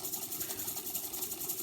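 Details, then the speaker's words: Tandberg Series 15 (1968-1971) four-track reel-to-reel tape recorder on fast rewind: even, smooth high hiss and whir of tape spooling, no thumps, scrapes or speed wobble; rewind running cleanly. "look at the rewind speed on this as well"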